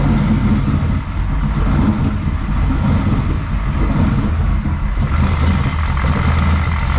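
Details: Turbo Mustang V8 idling after the turbo headers were sealed with high-temp copper Permatex instead of gaskets, heard through a stethoscope funnel at the header: steady, smooth idle with no tick, so there is no exhaust leak.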